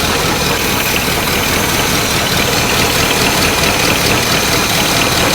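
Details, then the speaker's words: 1984 GMC K10 Suburban, first start after sitting about 20 years, with vacuum lines unhooked: loud idle with raspy puffing from underneath and an occasional uneven beat; owners suspect an exhaust leak plus a slight miss. "exhaust leak down there yeah it's also got a slight Miss to it which I mean my God it ain't been running in 20 years"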